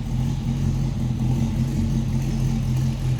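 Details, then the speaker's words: 1965 Chevrolet El Camino with a 283ci V8, Edelbrock carburetor and dual exhaust, after a cold start; a deep, even burble at idle with a steady low rumble and no knocks or misses; normal V8 idle. "dual exhaust is just really great on these yeah I don't know if you can hear but it's just a great exhaust note"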